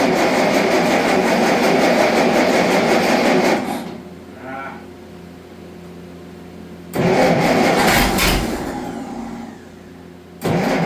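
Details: Allis-Chalmers D19 tractor that sat about 20 years, with its cleaned carburetor reinstalled: engine catches and runs a few seconds, dies, fires again briefly and fades out; won't keep running, cause unconfirmed.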